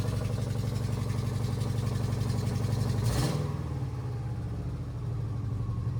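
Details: 2009 Subaru Forester X, naturally aspirated EJ253 flat-four, idling just after an in-car valve clearance adjustment: an even, low, steady idle pulse with no ticking or tapping, the valvetrain quiet. Some smoke is burning off from valve cover work; a normal idle.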